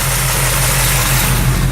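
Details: Truck idling after the box was installed, earlier noises gone: steady, even low rumble with no knocks, clunks or whine; sounds healthy.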